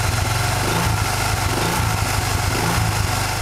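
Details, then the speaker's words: Honda Vario Techno 110 scooter, belt cover off, with Proper Racing Line knurled clutch bell and original double clutch shoes: light throttle blips rising and falling; clutch area quiet, no whistle. "posisi lamsam sebetulnya engak ada masalah ya saya gak nemuin suara si di Ul n ini waktu digas-gas"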